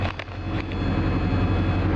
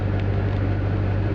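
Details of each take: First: 1980 Triumph TR7 with new carbs still needing tweaking. It was hard to start, possibly a little flooded, then idles with a rough, loud low rumble and an uneven rattly patter. Cause of the rattle not identified. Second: 1980 Triumph TR7 with rebuilt engine, carbs still needing tuning, after a slightly flooded start: steady even low rumble with some rattle, no misses or hunting; normal idle.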